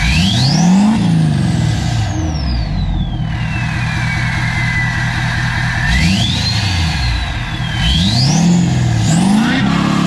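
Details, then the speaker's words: LBZ Duramax diesel King Ranch truck, first start after No Limit Fab turbo, S&S DCR conversion and GDP piping kit, near operating temperature: steady idle with rising and falling turbo whistle on revs, smooth and even, no leaks; normal idle and rev. "we're just about up to operating temp and so far so good so I don't want to jinx it but I think we can consider this as a success so far that sounds so good I'm so stoked on this"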